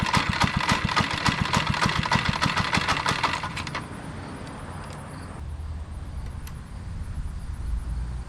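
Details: Monster Moto minibike running after carburetor cleaning and clean gas: it chugs fast and even, then drops to a softer, quiet idle. The engine runs, but the idle is a bit off and the throttle cable needs adjusting.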